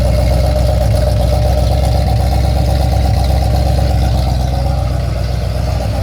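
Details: Ford XC GXL under restoration with a 351 V8, cold and warming up: a deep, even V8 burble at steady idle with no knocks, misses or ticks. A normal, healthy idle.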